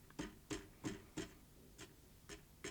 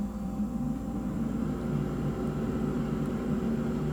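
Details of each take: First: Salter EK5872 air fryer, reassembled after repair of one side not heating: about eight light taps in three seconds, each with a short ringing metallic buzz; caused by a heating element loop touching another loop, a design trait, not assembly fault. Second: Salter EK5872 (LIDL EK5872LDL) dual-compartment air fryer, suspected thermal fuse failure that stopped one side heating: steady low fan hum and whir, no rattle or scrape, short level tone near end; normal operation.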